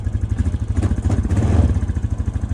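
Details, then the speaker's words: Fuel-injected Honda Rancher ATV, cold start at about 20°F, owner reports running issues and a clutching issue; starts right up, steady even thump with no misses or clatter, problem not reproduced. Normal cold idle. "so right now it's cold going to try it out right here the thing started right up beautifully sounds good idle and"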